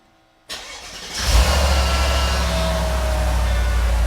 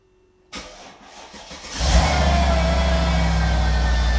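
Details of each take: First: Mercedes SL55 AMG R230 after installing a new starter to cure intermittent no-starts: a brief crank, then it catches within a second and settles into a steady, even idle, starting much faster than before. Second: Mercedes SL55 AMG R230 V8 with intermittent no-start, before starter replacement: about a second of laboured cranking pulses before it catches and settles into steady idle; weak starter motor suspected.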